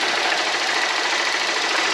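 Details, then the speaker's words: Motorcycle engine idling after the timing chain tensioner was replaced with a new one sealed with silicone; rocker arms were first suspected. Even, steady idle with a smooth hiss and no chain rattle; the noise is gone and the engine runs normally. "vou estar fazendo funcionamento aqui da motoca aqui para você escutar o motor barulho dela não tá mais defeito só era mesmo"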